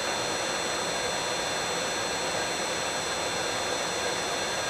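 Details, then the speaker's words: Allis-Chalmers 15 HP motor (drives a Sturtevant #6 blower) run on a VFD after drying overnight restored its insulation to 70 megohm at 1000 V: even, smooth hum under steady high drive whistles, no knocks or rubbing; sounds healthy. "So after drying, fixing to start it up on the VFD and let it run for a while just to make sure everything's good while I work on other parts of the system."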